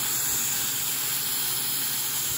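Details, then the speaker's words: Vintage TIG welder after control board repair, gas solenoid test: steady, even hiss of gas flow with no sputter or cutout; solenoid valve opening and working properly. "i just want to confirm that the gas solenoid is still working as it should so just a simple test would confirm that and it is you can hear"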